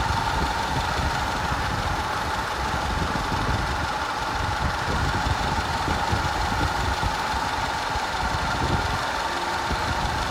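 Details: 2010 Audi A5 2.0 TFSI Cabriolet with codes P0304, P0300 and P130A: uneven, stumbling idle with a dropped beat, a random misfire plus a constant cylinder 4 misfire, later fixed.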